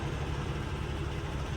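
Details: Cummins X15/ISX15 diesel after fuel filter and water separator change and key-cycle priming: low, steady diesel chug at idle, even pulses, no misfire or rattle; starts and runs healthy.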